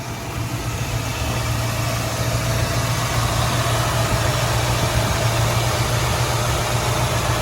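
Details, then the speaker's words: 1967 Ford Mustang, 289 HiPo V8 with automatic, rebuilt under 5000 miles ago, started after a couple of pedal pumps: a deep, steady burble at idle with an even rhythm and no knocks or ticks. The engine idles healthy. "so key in couple pumps fires right up very very reliable listen to the motor"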